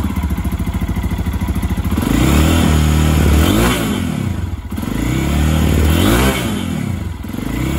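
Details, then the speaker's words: Lifan KPX 250 fuel-injected enduro, in neutral, stalling at idle and on quick acceleration: each quick throttle blip sags and stumbles before catching; fixed by readjusting the throttle position sensor on the throttle body. "we got a little bit of hesitation there [Music] yeah like let's say if you're out in the woods you need to pull the front end up real quick yep that's real bad yeah"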